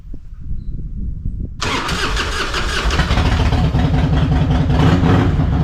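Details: Harley-Davidson Fatboy Twin Cam Softail after fuel filter replacement: quiet fuel pump hum, then the V-twin catches cleanly and settles into a steady, even potato-potato idle; starts and runs healthy.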